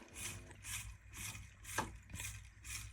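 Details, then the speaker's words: Old, never-serviced Grundfos central heating circulator pump: low hum with a surging hiss swelling about twice a second; pump is weak and pulsating, easily stalled with a screwdriver, and is being replaced. "The pump is pulsating, yeah? So this pump is on its way out."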